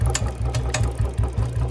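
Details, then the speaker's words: Royal Enfield Bullet 350 running in gear before chain lube: low engine beat with a rhythmic rasping swish repeating with wheel speed from the drive chain; dry drive chain noise. "Check कर लो भाई, चैन की noise check कर लो कितनी noise आ रही है चैन की।"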